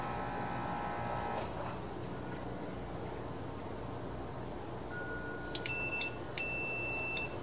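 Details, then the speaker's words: Honda 3011 riding mower seat safety switch, corroded, after contact cleaner and continuity test; tester beeps cut in and out unevenly, switch opens when pressed hard: intermittent safety switch contact. "yeah I mean it's kind of working but if I really mash on it hard like if I was clapping my big butt on the thing on the seat looks like it it opens"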